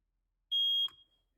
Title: Testing my fire alarms